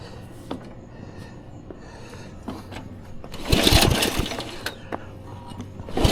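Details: 1994 Troy-Bilt 34044 33-inch walk-behind mulching mower with Briggs & Stratton engine, found curbside: the engine catches, then harsh irregular clattering bursts as the twin blades, mistimed after a likely blade change, hit each other on each pass.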